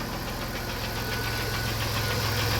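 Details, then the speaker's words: Unidentified Dodge/Plymouth minivan from a 1990–1993 Caravan/Grand Voyager fleet, spring start after winter with a low battery, starts immediately: fast light ticking over a steady idle with good oil pressure; the owner thinks it needs an oil change. "Oil pressure looks good. Still got the ticky tickies. But not too bad."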